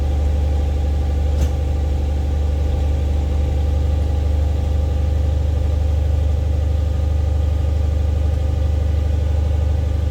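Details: 3UZ-FE V8-swapped Mercedes C-class cold-started for the first time in 4 months (battery 11.5 V at ignition on): steady, even low rumble at a smooth idle, no knocks, misses or ticks; it starts without issues, a normal healthy cold idle.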